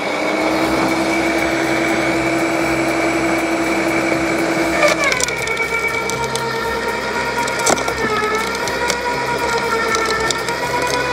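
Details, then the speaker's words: LawnMaster 2800W quiet electric garden shredder with self-feeding, shredding garden cuttings of different sizes, including thicker branches: steady motor hum with branches crackling and snapping, pitch dropping under load and holding. Normal, effective shredding. "okay so I hope you could see the how well this lawnmaster 2800 watt Garden Shredder did uh cutting the cuttings in my lawn the different size cuttings that I had really really really impressed"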